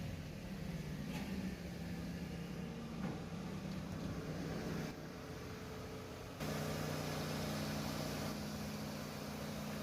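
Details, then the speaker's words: Mercedes C180 just after replacing the faulty knock sensor, started up: steady, even idle hum with a low drone and no knocking or misfire; engine runs smooth and healthy. "हैं अबे देख सकते engine smooth खड़े हैं कि आज तुम ठीक कह रही है गाड़ी की रेसिपी ठीक है"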